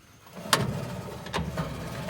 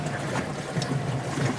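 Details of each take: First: GE top-load washer agitating a small load: worn suspension rods let the tub sag, so it strikes the base with rough thumps and scraping clunks that worsen; the mode shifter disengages with a delay before stopping. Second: GE top-load washer after a grinding complaint, motor sitting on the bottom fixed by repairing the suspension rods with split shaft collars: soft, low churning with gentle water swishes and no knocking or scraping; normal agitation.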